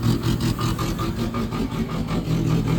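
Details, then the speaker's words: 1977 Chevy LUV, first real start after 18 years in a salvage yard, slightly flooded, carburetor being adjusted: lumpy uneven idle with a stumble every few beats under a low exhaust chug; a cylinder misfiring. "sound like she got a hog cam in her definitely got a Miss"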